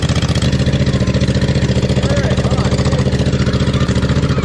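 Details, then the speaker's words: 2007 John Deere Z425 zero-turn mower, replacement Briggs & Stratton engine, first test run with fresh oil and muffler not yet fitted: loud open-exhaust single-cylinder thrum, steady and even; normal running. "all right we're going to fire it up before we get everything back together and make sure it runs and there's no major problems just put oil in we actually turned the key and it did turn this a little bit so i think we'll give it a shot it's gonna be a little loud too because the muffler's not on yet"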